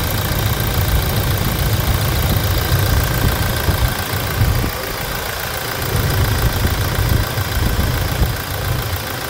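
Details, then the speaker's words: 2016 Toyota Hilux 2.8 GD diesel, 350,000 km, idling after a timing chain replacement; a low, even, soft clatter with no chain rattle, praised for its smoothness: normal idle. "Escuta esse cheiro escute a suavidade do funcionamento"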